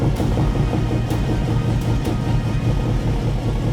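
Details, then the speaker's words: 1969 Ford Mustang convertible V8, first start after many years with a restored carburettor: deep steady burble, even rumble, no misses or knocks; runs smooth and holds idle. "It runs smooth. It's holding idle."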